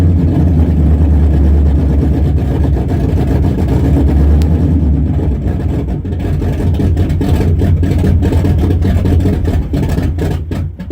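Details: 1974 Chrysler Newport with a slightly tuned 440 V8, first start after a rebuild with new bearings, open headers, phone-recorded: a deep even rumble swelling and settling with throttle blips, no knocks or ticks; healthy.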